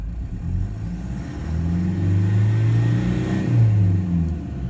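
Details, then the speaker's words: Toyota LC120 diesel after new injectors and related work, idling with scan tool load around 11–12%: low even hum with gentle rise and fall, no misses or stumbles; smooth idle, still needs running in. "no rough idle it's nice and smooth but of course it needs to be run things need to be run in a little bit"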